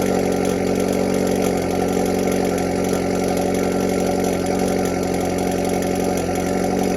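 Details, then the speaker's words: Hyundai Veloster N after installing Mopar valve spring 68319331AA on the exhaust valve, idling before warm-up: faint quick metallic rattle over the exhaust note; flap still rattles slightly but less than before. "right so the spring did a pretty good job but fortunately it is rattling a tiny bit it is it is better than before"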